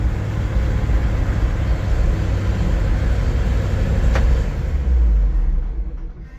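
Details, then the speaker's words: 1973 GMC 6500 grain truck with air brakes, being revved: a deep, uneven rumble with an unsteady beat and no clean firing, so the engine is running rough; cause not identified. "Yeah, I don't know what we're gonna do with it, but yeah, she runs pretty rough, but I think she'll make it to town."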